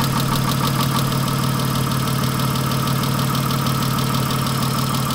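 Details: 1997 Chrysler Sebring at idle: a rough, regular clatter at about three beats a second, sounding like an old diesel. Internal engine knock, cause not pinned down.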